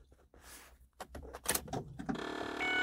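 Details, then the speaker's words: 2006 Ford Escape Hybrid after sitting about two months, at key-on: a few clicks, then a small electric motor winds up into a steady whir; battery cooling flapper door actuator noise. "now that's that's that's that flapper door making that noise"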